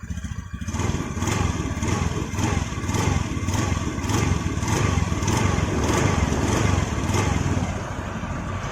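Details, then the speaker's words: Honda Vario 110 FI scooter, tested without rear pulley, after replacing both crankshaft bearings that had whined under throttle: even, low putter with light throttle blips and no whine; noise gone, repair successful. "Oke ya, suaranya udah hilang. Berarti masalahnya cuma di sini ya, di laker kerkas ini atau bearing kerkas ya."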